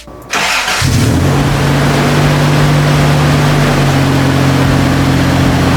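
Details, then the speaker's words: Toyota pickup with swapped 3.4L V6, first start after swapping in a new non-automatic ECU: brief crank then catches almost instantly into a firm steady idle with no stumble; starts much faster than with the automatic ECU. "so far so good for some reason it started way way faster than the other ecu i don't know what that has to do with but it fired up a lot faster"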